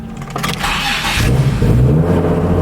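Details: Nissan Z after fixing major exhaust leaks, which the owner suspects contributed to a sputter; a coupler is still doubtful: a brief crank, then a clean catch into a deep, steady idle with no sputter.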